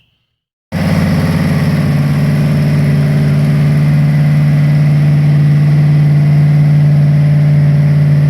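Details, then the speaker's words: Freshly rebuilt Ford 302 V8 from a 1966 Bronco, first start on a run stand during cam break-in: rough, lumpy idle with an uneven beat, running on dead cylinders blamed on the carburetor; a tick was later traced to a bad lifter. "so something's not right i didn't want to hear that you don't have to show this dead cylinders i can tell the way it sounds"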